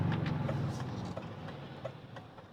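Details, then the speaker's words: 1998 Mercedes ML320 W163 while driving: idle stumbles and chuffs unevenly with random dips, the engine running rough with a flashing check-engine light and loss of power. Random misfire. "she's miss fun oh it's flashing at me this is a new one oh she's running rough"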